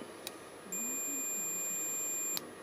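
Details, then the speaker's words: Suzuki GSXR 1000 front brake light switch on a continuity test before its MOT: clean, high meter tone for about 1.5 seconds, then a sharp stop; the switch makes and breaks the circuit correctly and works fine. "working fine but I don't believe this has come back to life"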